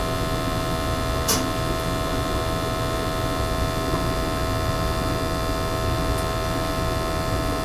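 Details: Gas boiler previously giving high CO, after burner cleaning: constant low, even hum with no surging, popping or rumble; burner firing cleanly, undiluted CO 35 ppm, under the 50 limit.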